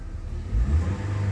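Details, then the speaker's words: 2019 Toyota Avanza after tune-up and spark plugs, which fixed a P0304 cylinder-four misfire: short, smooth rev that holds steady with no stumble or skip; runs cleanly. "hidupin ini enggak ada sensasi berebet enggak ada sensasi pincang"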